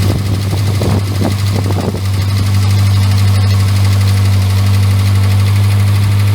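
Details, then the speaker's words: Morris Minor 1000, started after a long break with a battery boost, stumbles with uneven, lumpy firing for two seconds, then settles into a steady low idle; rough running after sitting. "As soon as I managed to get it started after a bit of a fashion, but she's going."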